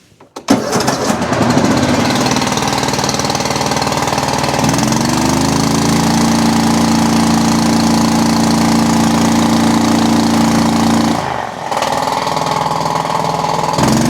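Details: Toro Titan MX5400 with Kohler Confidant 23 hp V-twin, running during ignition diagnosis for bogging, rough running and weak power: cranks, catches and settles into a steady, even hum, briefly dipping before picking back up.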